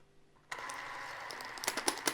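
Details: Krasnogorsk-3 movie camera freshly loaded with film, lid closed, speed set to 8 frames per second: a click, then a light, even whirr with fine rapid ticking. Normal film transport running.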